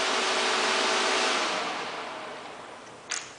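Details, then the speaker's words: VW Transporter Doka EV conversion, fans on the radiator cooling the Curtis controller, paper shop towel taped on: strong, even rush of air with a faint steady hum tapering off as fans slow; fans working normally. "And I've taped a paper shop towel to the radiator just so you'll hear the air, but this will show it. So this moves quite a bit of air."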